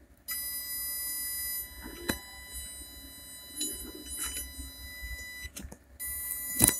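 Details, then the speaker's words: Blynk joystick-controlled DC motor via ESP8266, speed set too low: thin steady high whine with bench clicks, motor doesn't turn; PWM whine from stalled DC motor. "দেখেন এখানে speed কম থাকার কারণে শুধু শব্দ শুনতে পাচ্ছেন, চলতেছে না।"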